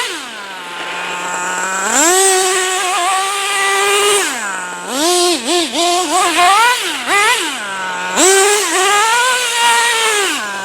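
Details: Traxxas T-Maxx 3.3 nitro RC truck after 8+ years stored, cold weather, driving in second gear spinning all four tires: clean crisp revving bursts, no misfire; healthy running under load.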